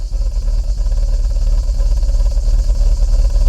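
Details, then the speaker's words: BMW 520i E34 at warm idle, heard at the tailpipe. The idle pulses and lurches about three times a second "like a Harley" instead of staying steady, and runs fine when accelerated. The owner suspects the idle actuator or a sensor: an unstable, hunting idle. "C'est pas stable. Ça devrait être linéaire et tout, ça devrait pas bouger. Et là ça saccade comme une Harley"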